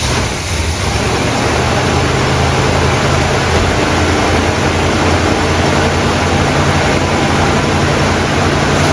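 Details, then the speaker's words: 1972 Buick GS Stage 1 SunCoupe V8, sat about 6 years: loud, uneven loping idle that won't settle and won't stay running when idle is lowered; cause suspected, not confirmed. "so far. I just hate the fact that it won't stay running when I take the idle down."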